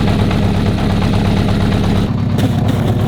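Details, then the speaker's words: 1982 Honda CB750F at idle: lumpy, uneven low pulse with a hollow exhaust beat; spit test shows one cylinder's exhaust pipe not heating, so that cylinder is dead; spark plugs being swapped to trace the fault. "So as you could see right there, the spit wasn't going off the exhaust pipe, so the cylinder over there isn't running."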